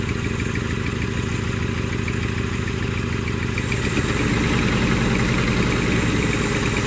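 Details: 1982 Toyota SR5 Trekker 4x4 pickup: the engine runs evenly with the throttle held and lifts slightly partway through, throttle response good; off the throttle it won't keep an idle since the fuel filter was replaced, cause unconfirmed.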